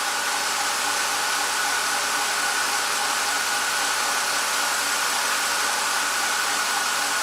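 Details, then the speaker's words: 2007 BMW X5, warm engine: cooling fan stuck blowing full speed with a loud steady jet-like rushing roar because the four-wire electric water pump is failing; pump still circulates coolant, but will fail. "it's just you know this fan it blows all the time and this pump will fail at some point for sure"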